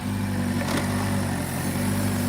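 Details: Chevy/Buick 1.4L petrol engine started after replacing the plastic thermostat and water outlet housings with aluminum parts, coolant refilled and sensors reconnected: steady even idle with low hum, no knocks or ticks; normal idle.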